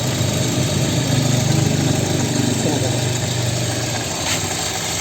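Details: 2006 Suzuki Swift GL used car, engine checked at idle: steady, even idle hum with a smooth pulse and no knocks or ticks; the engine sounds healthy.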